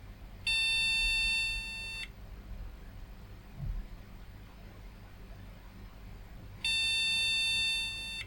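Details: Retro PC at power-on with IDE drive set to master: two long high steady beeps about six seconds apart, memory error code cleared by reseating likely dirty RAM—RAM error beep code.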